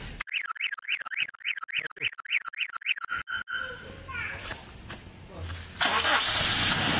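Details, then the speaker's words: 2004 Toyota Kijang Kapsul LGX 2.0 EFI manual: alarm beeps, then short crank and the engine catches at once, settling into a smooth steady idle; starter normal, no abnormal noises with AC switched on. "starternya normal ya, masih tok cer. Nyalain AC-nya. Nah, ketika dinyalain AC-nya kan kondisinya masih normal ya, tidak ada suara aneh-aneh ya."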